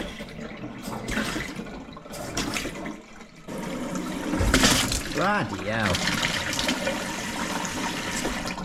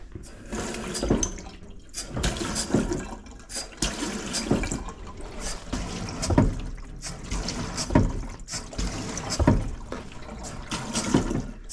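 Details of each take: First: After replacing the stop tap and fitting a whole-house shock arrestor on the cold water pipe: water fills steadily with no bangs or thuds, the long-standing water hammer gone. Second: Household cold water supply: running water with heavy juddering thumps about every 1.5 seconds, i.e. water hammer. Suspected to come mostly from the stop tap, plus loose pipes; planned fix is replacing the stop tap and fitting a whole-house shock arrestor.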